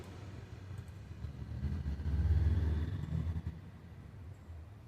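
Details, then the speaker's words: Epson L3250 printer after repair of the paper feed (traction) fault that made it noisy and stop printing; a quiet motor hum swells as paper draws through smoothly, with no grinding or slipping: normal printing. "Ó, já parou de fazer barulho. Já parou de fazer barulho, meu povo brasileiro."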